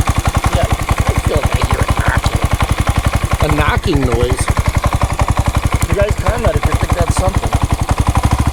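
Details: Honda Grom single-cylinder at idle after a valve adjustment found valves fine: thumps about ten a second with a hard knocking edge, louder than usual. Source unconfirmed; owner suspects loose cam chain or low end bearing.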